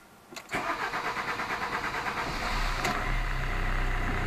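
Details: Alfa Romeo MiTo 1.3 JTDm Multijet diesel starting after fuel filter replacement and priming the fuel pump by cycling ignition: brief starter churn, catches after about two seconds and settles into a smooth, steady idle; normal clean start, no leaks.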